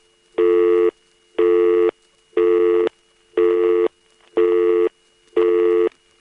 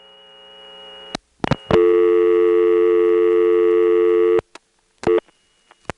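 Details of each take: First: Lockout relay on a GTE-owned NX2 crossbar exchange, Hahira GA, March 1978, using unbalanced power: eight even one-second tone bursts, then steady low mains hum with a thin high squeal, typical unbalanced-supply sound. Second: GTE-owned North Electric NX2 crossbar exchange in Hahira, Georgia, recorded March 1978: background power noise on the originating register while it times out. A steady piercing squeal from unbalanced power with low hum underneath, plus relay clicks.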